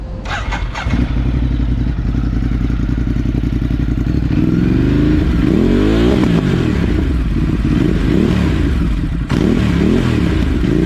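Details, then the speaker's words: 2018 Ducati Multistrada 950 freshly fitted with a Dynojet Power Commander V, fuel map not yet tuned: loud twin revs up and drops back with faint puffs and crackles when the throttle closes; owner attributes the popping to the unfinished fuel mapping. "and of course, if you hear the little puffs does at the end when I close the throttle, is because I didn't i"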